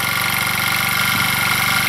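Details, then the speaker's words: Old motor scooter, unused since 2014, started by hand because the battery is dead: a steady idle with a busy metallic rattle and banging over the firing. The source is unknown, and the owner suspects moisture down inside. "something's rattling so they run runs well so something up in here is rattling and banging and I'm not quite sure"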